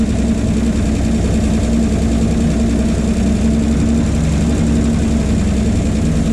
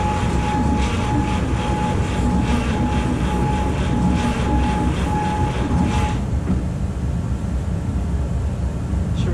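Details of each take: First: 1951 Chevy 1430 pickup straight six, previously seized after sitting since 1976, freshly freed and run on a jerry-can fuel feed with idle turned up: steady, even low rumble, no knocks or misses; idles smoothly, though the replacement fuel pump is thought bad. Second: Seized 1951 Chevy 1430 pickup straight-six, last on road 1976, cylinders pickled with oil, cool morning: starter whines with uneven sluggish chuffs for six seconds, never catches; cranks but won't start, owner suspects stuck rings limiting compression.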